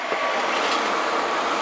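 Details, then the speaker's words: Atwood 7912-II 12-volt 12,000 BTU RV propane heater after re-soldering a heat-damaged relay connection on the circuit board: fan starts, clicks, ignites, then a steady, even roaring hiss with no popping or surging; burner running normally. "so the fan comes on and it clicks and the light in the minute you'll hear it ignite either that or i'm going to look stupid here it goes and you can hear it running"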